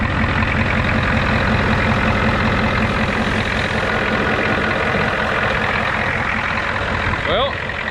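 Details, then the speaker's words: Ford 6.9/7.3 IDI diesel with Stanadyne DB2 pump, after replacing the fried fuel shutoff solenoid and bleeding air from the fuel system: steady even diesel clatter at idle, no misses or stumbles; shuts off with key and restarts fine. "let's see here make sure it shuts off shuts off with the key fires right back up it's beautiful"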